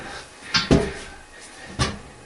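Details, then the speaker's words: Flushing a water line after opening the shut-off valves: a few sharp separate clicks over a quiet background as the chlorinator clicks in; normal, shows water is flowing. "double check you'll should be able to hear the chlorinator start clicking into once the water start flowing"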